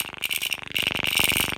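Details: Fast, dry, rattly buzz from a brand-new, unflown DJI Phantom 3 Professional's gimbal on startup: a loose arm screw lets the arm scrape the top cover and vibrate the camera; tightening it fixes it.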